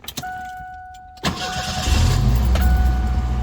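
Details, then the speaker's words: 1989 Ford Fox body 2.3L four-cylinder convertible, 5-speed, after replacing bad starter for no-crank: key chime, brief starter whirr, engine fires cleanly and settles to even idle; normal start. "and there it is there that's how you know when you got to start a problem and that's how you fix it"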